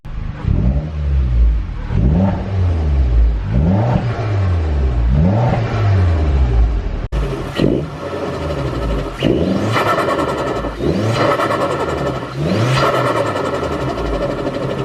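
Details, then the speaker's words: Mitsubishi Evo X with newly fitted ARC blow-off valve replacing HKS, recorded inside the cabin while revving: revs rise and fall, each lift-off followed by a sharp airy whoosh; blow-off valve venting normally. "So I hope the camera picked up some of the blow-off valve sounds."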